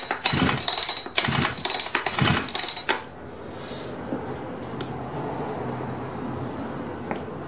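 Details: Husqvarna 359 chainsaw, about 59-60 cc, won't start: four quick rasping cord pulls with choke on, no firing, engine spins over too freely; low compression.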